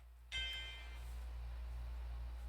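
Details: Repaired Macintosh IIci logic board at power-on: a single clean bright startup chime rings and fades over about a second, then quiet hum; normal startup tone, board works.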